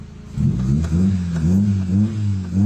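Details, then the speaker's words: Carbureted Honda Civic after repair and timing set, no aircon, revved from inside: engine picks up cleanly through several blips, pitch rising and falling smoothly with throttle, no misses, power back and quiet; normal revving. "ayan, iwan ko lang sana naririnig nyo yung tunog. Ayan, pag nire-rev po siya, may power na po siya kung ano po yung apak."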